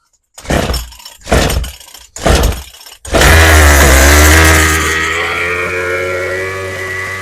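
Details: Craftsman 27cc string trimmer after Zama carb rebuild and new fuel lines, high and low mixture screws set at 1 turn out. Three pull-start tugs, then it catches and screams high, slowly sagging and unsteady; runs briefly, mixture still needs adjusting.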